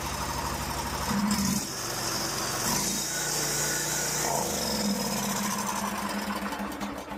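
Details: Stihl lawn mower after replacing blown, loose intake manifold gaskets (carburetor suspected by others, not by owner): small engine running at steady governed speed, no surging or stumbling; normal running.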